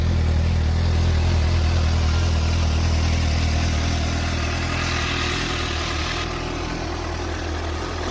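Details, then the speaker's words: 2015 Suzuki GSX-S 750 inline-four, 14,048 miles, stock exhaust, started with clutch in; smooth, even idle with steady low hum and no knocks or rattles; pretty quiet but sounds healthy. "Alright, this is the stock exhaust. So pretty"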